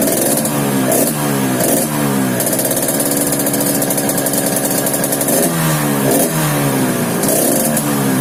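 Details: Yamaha RX King two-stroke rising and falling through repeated blips with a rough snoring rattle under the exhaust; snoring noise, carburetor noted slightly wet, cause unclear.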